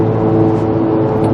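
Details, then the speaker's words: 2002-2005 Ford Explorer, 77,000 miles, driving: a steady droning hum with a low tonal whir in the cabin from worn rear wheel bearings, replaced before; it also occurs on snow, so it is not tyre noise. "Now, how can I tell it needs new rear wheel bearings? Because it's very noisy. Perhaps you can hear that on the video."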